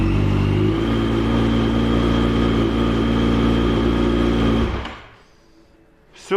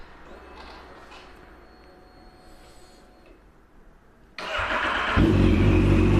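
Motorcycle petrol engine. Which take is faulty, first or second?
second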